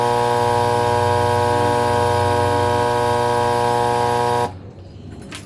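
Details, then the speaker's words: Alita 60 air pump test-run just after rebuild, cover off: loud, steady, even mains buzz with no rattle or flutter until switched off; pump works fine, loud only until the lid goes back on. "She works. She's loud until we put the lid back on, but boy, she worked."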